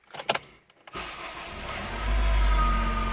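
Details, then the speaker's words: Honda Integra DC5 / Acura RSX base model, revved in neutral with alternator already swapped: thin steady whine rising with RPM. "there's the wine again if you can hear the whine of the revs go up and it's in neutral"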